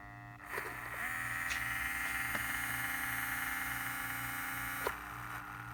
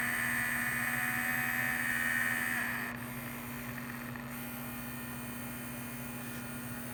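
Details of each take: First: Small steering servo motor on a vintage 1978 Shinsei Fire Fox (Lamborghini Cheetah) RC car, revived after long dormancy and previously without steering: a faint steady hum with a thin high whine that starts, holds, then stops as it barely moves. This hum is normal. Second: Vintage 1978 Shinsei Fire Fox RC car, steering servo with suspected dirty potentiometer: thin high whine, then faint ticking pulse about four per second as it changes direction; servo pulsing intermittently.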